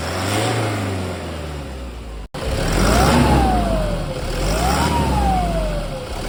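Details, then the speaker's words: 2010 Toyota Hilux KUN26R, 1KD diesel, 291,000 on the odometer, with a new turbo fitted in place of the broken whistling one: two clean revs, each with a smooth turbo whistle climbing and easing back down, no howl or grinding, healthy turbo. "yep hopefully the camera my sound can capture that one and yeah that's a different of a new turbo in a broken turbo"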